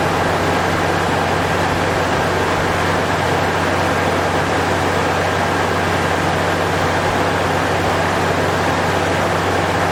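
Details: Toyota 3.4 first start after timing belt and water pump replacement, battery reconnected and oil checked: steady even low hum over twelve seconds, no knocks, ticks or squeals; smooth idle.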